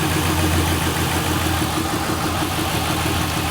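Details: 1998 Ford Crown Victoria P71 misfiring since pressure washing; spark plugs and coils verified good: idle with an uneven, lumpy beat and occasional stumbles; misfire, fuel delivery suspected, not confirmed.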